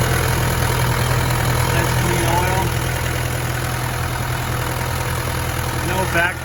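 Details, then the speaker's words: Restored 1993 Land Rover Defender 90 200Tdi diesel at idle: steady even low thrum, no misses or surging, no blowback or tailpipe smoke; healthy idle. "And no smoke out of the tailpipe at idle."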